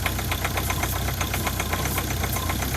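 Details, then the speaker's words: Ford Focus diesel at a 2 °C cold idle, with the original vacuum pump suspected of failing and the injectors already changed: a light clatter over an uneven, lumpy rumble, with weak vacuum at the pulled pipe. Cause not confirmed. "Oh, you can hear the vacuum pump, the suction or the vacuum that it creates is not very strong. The engine's lumpy."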